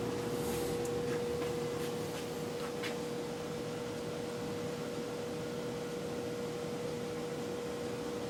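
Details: Brand-new Venmar EA-1500 air exchanger just installed gives a steady pure hum near 500 Hz over soft airflow, propagating all over the house; abnormal humming.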